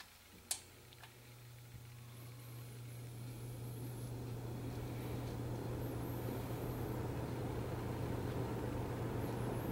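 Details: Restored 1966 Lakewood Country-Aire fan, oil pads soaked in motor oil, started on low: one click, then a smooth low hum building as the motor spins up, no rattle or scrape; runs normally.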